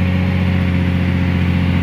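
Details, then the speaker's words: Caterpillar 345 excavator diesel under hydraulic load after ECM replacement and harness repair (error 36-268-2, shorted wiring); deep steady drone at even pitch, no hunting or surging; rpm not dropping to 500–600, engine power and hydraulic pressure good. "but in this situation now the engine power is a good and also hydraulic pressure okay everything is done"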